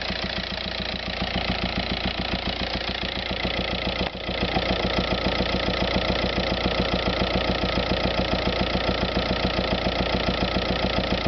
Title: VW Passat TDI weird engine noise